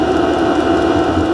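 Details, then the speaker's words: Diesel heater after oven-cleaner cleaning and leaning out by lowering maximum fueling: even, steady burner roar with no popping or surging, sounds perfect. Normal burn. "right now Perfect all that good enough oh I sounded out supposed to now then we could give it the thumbs up to the uh Mr muscle oven cleaner method sounds perfect"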